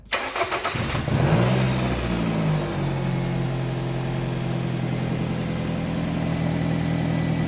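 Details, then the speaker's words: 2006 Nissan X-Trail 2.5L automatic AWD after an alternator replacement: quick crank, clean catch, then a steady low idle with no misses or knocks, with a poor-sounding exhaust; the alternator charges at 14.39 V at the battery. "other than the crappy sounding exhaust you can see that our alternator is currently working it is 14.39 volts at the battery"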